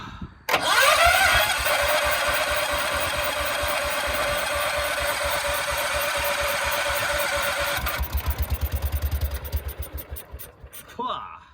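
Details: 1968 John Deere 140 H3 tractor, unrun 20+ years, after coil wire replaced: catches and runs rough several seconds, then sputters in uneven pulses and dies; carburetor suspected gummed up, fuel delivery suspect.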